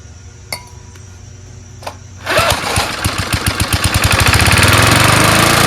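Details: Snapper Hi-Vac mower assembled from two junk mowers, after mowing a lawn: pulls over, catches and settles into a steady, even firing beat rising smoothly to speed; running healthy.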